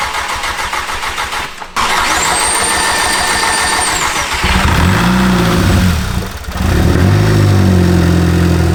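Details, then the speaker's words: VW MK6 GTI first cold start after engine install with new oil; cranks and catches cleanly, steady fast idle with constant high secondary air pump whine and loud direct-injection ticking; normal cold start idle. "Damn, this sounds really good to me. Sounds awesome. Direct injection is loud, so that's that. Damn, this thing's actually running."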